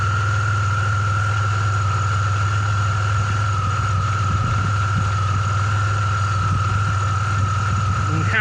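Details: Petrol car idling with A/C on for load, deep hum with constant high-pitched chirp; belt sits on the edge of the tensioner, which bobs up and down; alternator recently replaced after humming, no-start and P0446 symptoms.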